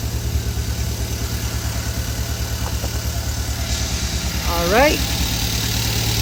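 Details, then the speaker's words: 2014 Hyundai Veloster Turbo engine, reinstalled after removal to find the hidden damage behind its knocking despite a prior rebuild, now at a smooth, even, quiet low idle with no knocks or ticks; owner unsure whether a muffler explains the quietness; normal idle. "It sounds good. Quiet the engine, but I think this car got a muffler because So, I'm not sure if that's a muffler or what it is."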